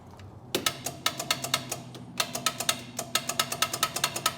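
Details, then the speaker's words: Polaris Ranger 500, starter cranking attempt: rapid sharp clicks with no cranking, no power reaching the starter; solenoid suspected bad, cranks when jumped. "I hear the solenoid clicking. Let me get my test light and see if I'm getting power to the starter."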